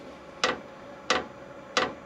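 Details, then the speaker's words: Cheap 27,000 BTU Chinese diesel heater, newly installed, freshly filled with diesel, first start: sharp, evenly spaced clicks about every two-thirds of a second; the dosing fuel pump ticking loudly but normally while priming. "oh that's the fuel pump ticking well that is loud"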